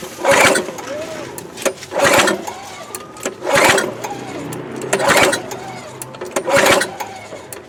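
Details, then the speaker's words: Free 22-inch Craftsman mulcher mower, 6.25 hp, about 1998, with a rotten fuel line: repeated pull starts spin but never fire; owner suspects flooding, old fuel or a carburetor issue. Cranks but will not start. "Maybe I flooded it. Maybe it's got more funk in it."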